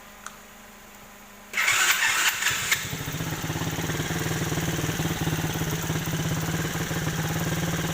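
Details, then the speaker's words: Chinese 125cc quad bike, abandoned, started after carburetor adjustment, not yet fully hot: catches after short crank, settles into steady even idle slightly high from a bit too much fuel; runs cleanly. "So it seems to be idling quite well. Maybe a little bit high, but until I get the engine really hot, then I'll tune it."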